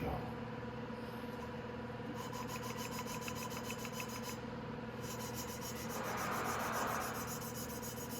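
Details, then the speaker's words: Hand lapping a valve on a 250cc X22R Max motorcycle engine during valve service: quick back-and-forth strokes, about four a second, now even and smooth with the earlier crunchy noise gone, so the valve is seated. "When it starts going smooth like that, and you can hear it going very smooth, then it's locked pretty good. I'm going to do it one more time. Hear that? That crunchy noise is gone now, and that's perfect."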